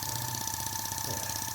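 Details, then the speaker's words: Corsair live steam stationary engine (Edgar T. Westbury design), first run on compressed air just under 10 psi: light, quick, even exhaust ticking over a steady airy hiss; runs smoothly with no knocks. "and it's off and we are running at uh just under 10 psi she's pretty happy with that there we go"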